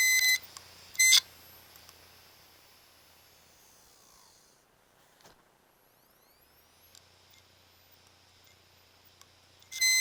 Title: Inside View - A Bad Hard Drive Making Buzzing Noise While Spinning